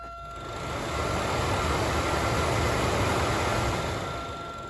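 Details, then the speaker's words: New replacement blower motor for 1998-2002 Oldsmobile Intrigue, bench-tested before installation after old one's bearings failed; steady even whir, faint constant hum, no ticking, scraping or wobble; normal healthy run. "sounds good to me. Nice and healthy."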